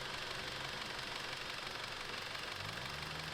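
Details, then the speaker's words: Audi S3 that overheated from a coolant leak, idling with the cap off to bleed air bubbles from the cooling system: busy, fast ticking about three per second over the idle hiss. New strong top-end tick; owner fears engine damage, cause unknown. "However, I don't like the sound of that. I might have messed up the engine. There's a strong ticking sound. It never used to sound like this."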